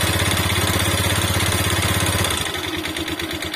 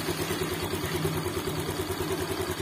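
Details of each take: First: Motorcycle without a kickstarter found run completely out of oil, refilled with used oil and started. An uneven, lumpy idle with a harsh clattery edge; it reportedly gets much worse and smokes heavily when hot. Rough running from oil-starvation damage. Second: Motorcycle after repair following oil starvation and suspected seized piston: steady even idle with soft regular pulse, smooth, no misses or knocks; normal idle.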